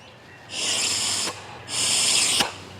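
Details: Yamaha Grizzly 300 ATV with fuel delivery issue, new fuel valve tested off the tank in reserve position: two strong, even hissing spurts of fuel, no sputtering; valve passes fuel freely, unlike the old faulty one.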